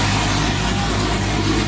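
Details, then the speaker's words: Car with 2-inch headers and 3-inch straight-out MDRP exhaust, ice-tank pump now working: deep, even, very loud idle rumble, no knocks or misses, free-flowing exhaust; normal loud idle. "As you can hear, the car's extremely loud. 2-inch headers, 3-inch exhaust straight out, the MDRP exhaust, extremely loud."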